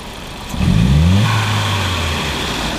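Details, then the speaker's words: 1999 VW Passat 1.8T (AEB) throttle snaps: revs climb slightly lazily with a small stumble, less than before; rich condition, upstream O2 fixed near 900 mV, fuel trim at -30%, MAF reading high at idle suspected; cat issue possible. "slow does a little bit of hesitation but it was worse before"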